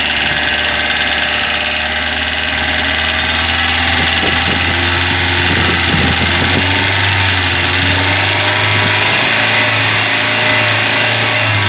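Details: Corsa engine at smooth idle with a light rapid tapping of about three a second, from hydraulic lifters slow to fill because a dirty oil pickup in the sump gives poor oil flow.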